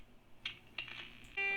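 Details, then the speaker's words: Restored Sony 6RC 23 AM clock radio, dial calibration with RF generator test tone via loosely coupled antenna, set just past 1.6 MHz: clean steady tone locks in where dial reads; top-of-band calibration reasonable. "i got this set just past 1.6 megahertz and we can see the top end of the dial is within a reasonable calibration for this level of dial accuracy"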